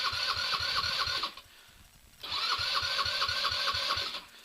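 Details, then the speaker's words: 2016 Roketa 150cc scooter with recently rebuilt carburetor, after sitting a day: two cranking bursts with whirring starter and quick chuffs, engine doesn't catch; hard starting, owner says it usually needs priming and fires on third or fourth try. "Alright, so she sat for a day, so it's probably going to be a little difficult to start at first."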